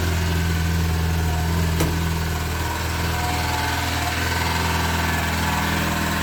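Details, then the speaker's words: VAZ 2106 (Zhiguli) after knock repair, first start after battery recharge, idling: steady hum with an odd, unexplained buzzing rattle, possibly something loose such as a shield near the gearbox; oil level fine; abnormal engine noise. "работы какой то очень непонятный звук происходит и знают куда но этот звук очень какой-то странноватый такой"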